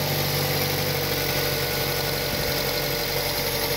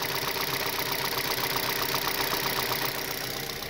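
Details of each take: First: 2006 Mazda 6 petrol engine idling in cold weather with the engine cover off, after fixing noisy hydraulic lifters: smooth, even hum with no more ticking. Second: 2006 Mazda 6 petrol engine idling, recorded close to cylinder 3: light, even ticking about four times a second from noisy hydraulic lifters, heard as revs drop toward 1,100–1,500 rpm; owner cured it with oil additives.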